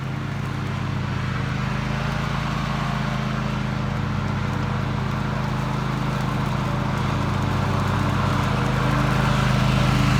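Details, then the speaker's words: Toro TimeCutter MX 4200 zero-turn after ignition coil replacement, test cutting grass: strong even drone under load with no stumbles or misfires; runs and cuts great, though the owner wants to double-check a couple of things. "i don't like that i'm gonna have to double check a couple things but it runs it cuts running great"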